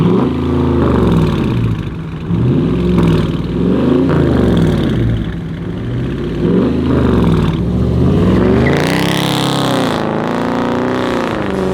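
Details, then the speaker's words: Dodge Charger/Challenger V8 after active exhaust valve delete with valve simulators and mid muffler delete: repeated revs with a deep clean exhaust note, the former valve rattle gone. "No more rattle. Sounds like a V8 now."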